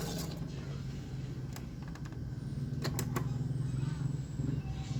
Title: CD/Cassette Player Crackling sound